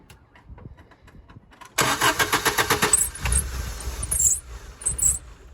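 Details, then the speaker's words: Cheap, rough-running used daily-driver engine cranks and catches with a connector plugged back in, but the idle keeps swelling and sagging. Owner suspects that connection was why it had been left unplugged; cause unconfirmed. "so it's still surging then it might that might be why they unplugged it so it could actually run"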